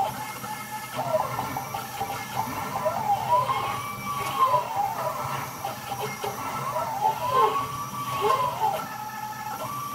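Smooth stepper whine that sweeps up and down in pitch as each axis speeds up and slows, even and clean with no skipping.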